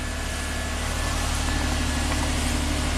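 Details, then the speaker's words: 2010 Nissan Maxima with a charging problem, after fitting a dealer remanufactured alternator, lights on: smooth, even idle with no knocks, ticks or whine, charging about 14 volts. Normal idle. "let's fire it up see if this alternator will put out 14 volts so far so good"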